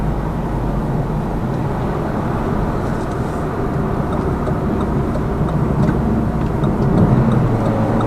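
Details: Lada Vesta Cross with AMT 2.0 robot gearbox, fully loaded, over rail crossings and bridge joints; head-mounted action camera. Even road and engine rumble, no knocks or clunks; suspension quiet after shock absorber strut replacement removed the knock.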